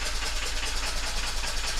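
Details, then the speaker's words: Diesel engine on a newly launched Oyster yacht: steady rumble under a loud hissing rush of air blowing out and sucking in at the air intake, running rough; cause unknown. Air intake blowback. "Okay, so the engine's got this problem. You hear that? Blowing out and sucking in from the air intake."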